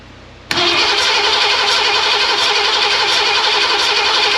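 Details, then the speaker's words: Ford 302 V8 in Econoline van that sat for years, after replacing bent #5 intake pushrod, rocker installed: even cranking for a compression test, no catches; #5 cylinder near 140–150 psi, valve sealing, repair deemed complete, stuck valve suspected cause. "almost 150 that time 140 140 550. so that tells me that the cylinder the valve is ceiling with the rocker arm installed there that's that's good"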